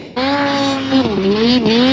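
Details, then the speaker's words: Silber Turbo Polaris 9R snowmobile on day-one testing in fresh powder, Revelstoke BC: high revs hold, then sag twice and recover, cutting out under throttle; bogging under load, owner suspects venting or powder bog. "It doesn't want to stay fully in the power, I'd say. You can kind of hear it cutting out."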